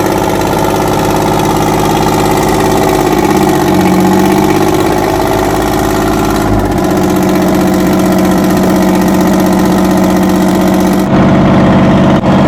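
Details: 60-year-old US-imported Massey Ferguson 98 tractor with factory Detroit Diesel GM 3-71 two-stroke, after significant restoration: steady, even drone with smooth low beat, no knocks or misses; normal running.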